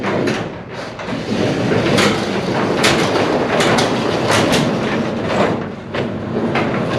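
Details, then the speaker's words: Pole barn garage door operated by newly installed Genie 2055 opener, before lubrication: rolling with irregular creaks and rattling clicks over steady rumble, mostly from dry center hinges. "I might get some 3 in1 oil to work on those hinges a bit. They're still really loud."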